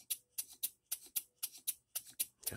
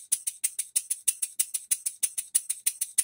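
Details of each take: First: Rebuilt English bar-stock model engine, with new crosshead bearings, mains, reamed cylinder, new silicone-ringed piston, after nearly an hour of running-in, timing about spot on but running the wrong direction; sharp ticks about four a second with light clatter between, rattle, cause unclear. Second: Rebuilt English bar-stock model engine on air after reassembly, with new crosshead and main bearings, reamed cylinder, new silicone-ringed piston, valve timing set; crisp even exhaust puffs about three a second, steady, no knocks, running sweetly.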